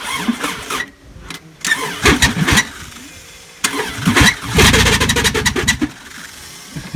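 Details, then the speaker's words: 1999 Subaru Legacy wagon, restarted two days after breaking its timing belt cover and destroying timing: ragged cranking with uneven stumbling bursts, never settling to idle; engine is junk from the broken timing belt. "But let's see if we can get it to fire up. It's been a few days. This is Tuesday now. Ran Sunday, so yeah. Yeah, you can hear it's not healthy at all."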